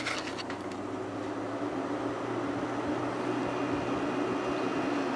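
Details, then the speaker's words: Kenmore 5,000 BTU window air conditioner, just installed in place of a 6,000 BTU Whirlpool that lost refrigerant: steady even hum with soft fan whoosh, no knocks or rattles; runs smoothly on low speed. "That's low speed. I'll let that run for a little while."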